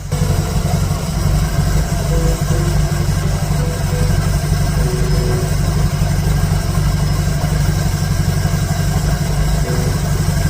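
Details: 1951 Dodge Wayfarer 230ci flathead six with Gyromatic, rebuilt Stromberg BXVES-3 carb, warm, after raising idle to about 450 rpm: low slow steady idle with an even chuffing beat and no misses or stumbles; healthy idle.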